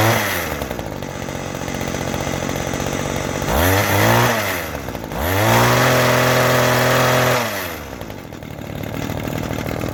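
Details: Vintage 1990s Weed Eater GHT-22 two-stroke hedge trimmer, 22-inch cutter, revived after fuel line and filter work and fresh fuel: steady idle rising and falling cleanly on throttle blips. Normal running.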